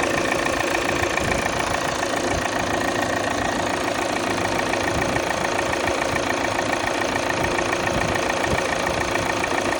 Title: Xc90 D5 2017 cold start Strange sound, buzzing sound why?